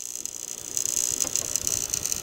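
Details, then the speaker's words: Breaker with a burned wire at its terminal, drawing 18.4 A: a faint crackling fizz with irregular sharp high-pitched ticks and no mechanical hum, an arcing sound; suspected bad breaker or loose terminal connection, screw tightness still to be checked. "i got my shotgun mic so hopefully you guys can hear this but the breaker is making an internal arcing sound i think it's internal but it could be on the actual connection but just listen to this"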